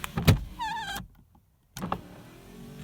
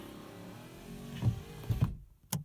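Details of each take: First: Rover SD1 early Series 2 driver's door window after a failed regulator fix, door card refitted and now worse; the motor whines in short, strained bursts with stops, labouring on the way down while going up is fine. Regulator binding. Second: Rover SD1 early Series 2 driver's door with a sticking window regulator the owner failed to fix; a low motor hum with a few clunks as the glass travels up and stops at the top. Going up runs smoothly.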